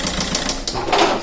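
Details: Car that broke down, now running on only three cylinders. Sharp, fast metallic clatter at idle, about seven raps a second; sounds like bearing damage but owner suspects another cause; valve clearance to be checked.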